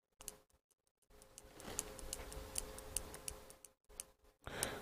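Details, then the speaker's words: 24 V relay energised by touch on the bench: sharp, uneven clicks a few times a second, but the contacts never switch over; the cause may be insufficient power to pull it in, unconfirmed. "so you can hear that clicking so it is it is clicking but it's not switching the contacts over if you know what i mean"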